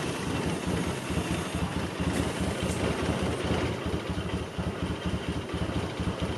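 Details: Suzuki Cappuccino being revived; idle sits low and hunts unevenly with irregular pulses, suspected vacuum leak with owner also suspecting the MAP sensor; a known leak spot has always leaked: vacuum leak.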